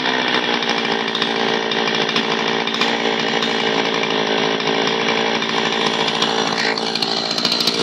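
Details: An old Zenoah chainsaw, repaired after it would not start from sitting unused, cuts under load with a steady, high, even two-stroke snarl and no surging or bogging: running right after the fix.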